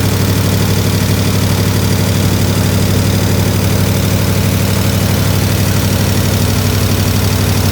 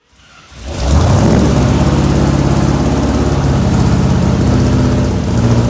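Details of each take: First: 1967 IH Loadstar 1600 shop truck V8 during overhaul: even, steady low rumble at idle, no stumble, surge or hiss, running a lot better, slight tapping noted, possibly exhaust; normal idle needing fine tuning. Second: 1967 IH Loadstar 1600 shop truck engine being tuned to idle in the shop after a backfire; uneven lumpy idle with wavering low rumble from a manifold leak through the carburetor gasket.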